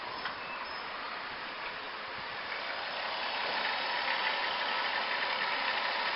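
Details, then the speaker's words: 2003 van idling in reverse and drive after a new alternator, idler pulley and belt. It is quiet and even, with none of the ticking previously heard when selecting gear; the accessory drive sounds healthy. "let's put in gear shout it's in Reverse listen nothing single noise nothing and drive nothing as well"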